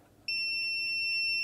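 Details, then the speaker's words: PlayStation 5 that beeps once every 10 seconds but won't power on: multimeter continuity beep holds steady on one side of a blown fuse, a dead short to ground, likely a single shorted capacitor. "So we've got no short that side of the fuse, but as soon as we touch this side of the fuse, we dead short to ground."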